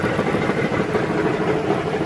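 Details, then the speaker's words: Chrysler minivan, about a 2012 model, idling under the hood: rapid metallic crunchy knocking that gets louder when put in gear, from a cracked flex plate between engine and transmission rather than rod knock. "Now, the warning I want to give to y'all is that don't get tricked and don't get fooled automatically thinking that's um rod or any kind of bottoming engine noise because there's a lot of moving parts on the bottom of this drivetrain, meaning the engine and the transmission."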